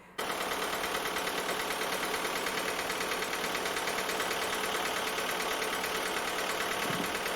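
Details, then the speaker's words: 2004 VW Polo 6N2 1.4 16-valve petrol automatic at idle, after replacing hydraulic lifters: persistent light ticking knock about three per second remains unchanged; owner now suspects big end bearings, unconfirmed. "It's got a noise which I will be changing the hydraulic lifters in it to see if that improves, but this is basically after the video. This is after the work, so I've changed the lifters already. I've noticed that the noise still there really."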